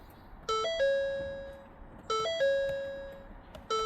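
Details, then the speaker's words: 2017 Ford F-150, original battery, push-button start with brake pressed: repeating two-tone dash chime about every 1.5 seconds and no cranking at all; sounds like a dead battery causing the no-start, towed in after breaking down. "To me, that just sounds like a dead battery."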